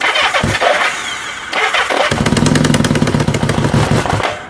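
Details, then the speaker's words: Kawasaki Z650B, not run for about 10 years, new ignition system, choke on: starter whirs with a noisy starter clutch, catches with rapid uneven firing for two seconds, then fades and won't take throttle; suspected fuel starvation from choke. "yeah now why won't that pick up [Music] sounds like it's running out of fuel which is all because I've got the choke on yeah he won't take any throttle at all"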